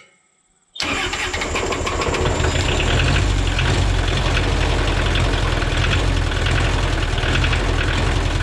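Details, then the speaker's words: Free Kubota L285 compact tractor diesel after new glow plugs, fresh oil and new 800CCA battery: brief crank, catches right away, settles to a steady even idle with no knocks or misses; starts right up and runs great. "It runs great. Starts right up. The glow plugs made a world of difference."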